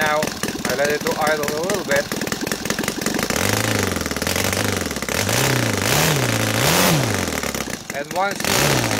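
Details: Saito FA270T twin converted to gasoline with CH ignition, 20:1 mix, TF 20x10 prop: pitch swells and dips unevenly after rich idling, then pulls cleanly through the revs as excess fuel burns off.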